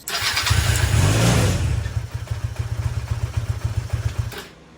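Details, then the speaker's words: Go-kart engine starting after the key-switch wiring was shortened to fix a no-spark problem: catches, revs briefly, then settles into a steady, even idle about four beats a second. "so now we're gonna do is turn the key and just watch this thing start"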